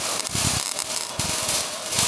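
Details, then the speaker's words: ARCPEX MIG200 MIG welder: harsh, uneven arc with choppy stuttering bursts, a slow clocking sound meaning wire speed too high for the low voltage. "that means your wire speed is too high for your voltage is low."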